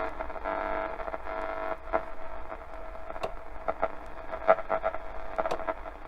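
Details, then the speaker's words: 1969 Fidelity RAD 16, a 7-transistor 4-band radio 52 years old and never repaired, tuning shortwave: static and whistles with scattered sharp clunks as the tuning dial cord slips. "Again, you can hear that clunk. That's the actual sort of the actual chord that you use for the tuning dial just slipping."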